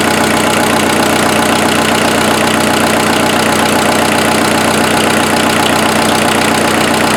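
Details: Freshened-up turbo diesel in an offroad Mazda truck idling after getting it running: a smooth, even clatter of about four beats per second with no misses or knocks. Much smoother than the previous engine, no smoke; normal idle.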